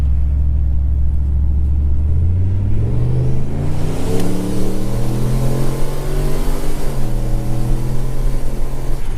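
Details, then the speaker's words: Turbocharged 2012 Chevy Caprice, E38 tuned with HP Tuners, automatic, stabbed from about 20–30 mph: engine note climbs hard then drops cleanly at each gear change, no flare or slip; super solid normal upshift, still slightly lean down low. "Oh, fuck yeah. Yeah. That was a super solid shift,"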